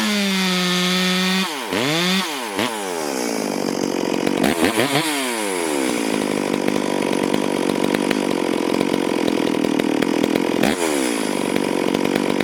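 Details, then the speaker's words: Stihl MS440 chainsaw, owner reported it down on power, test run before port work, cutting wild oak on the ground a few years: revs up cleanly, then a steady high howl through the hardwood without bogging; self-feeding, pulling well, normal cutting under load. "As you can see, that thing's self feeding and pulling good. Pulling pretty good chips for wild oak."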